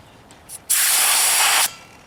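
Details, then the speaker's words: Old Ariens 1960s snowblower small tire: a sharp, steady hiss of air leaking out, changing as the slime sealant passes the hole. "you can hear it hissing i can hear it the sound of it changing as the slime goes by like right there it's getting less can feel the air coming out of it"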